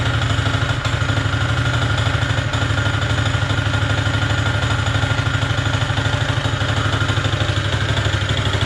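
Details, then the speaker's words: Honda GX160 single-cylinder on a Power Trowel M80H concrete trowel: idles with a hard metallic knock about three times a second, a clear knock between crankshaft and connecting rod. The machine is not serviceable. "відчути явний цокіт між колінвалом і шатуном. Ця техніка не є дієздатною."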